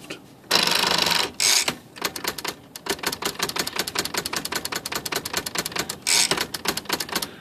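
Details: Smith Corona typewriter after repair of a sticking part and adjustment of the power spacer (the carriage had not latched and flew to one side): crisp, evenly spaced key strikes, clean carriage steps and a short spacer whir. Normal typing and carriage spacing.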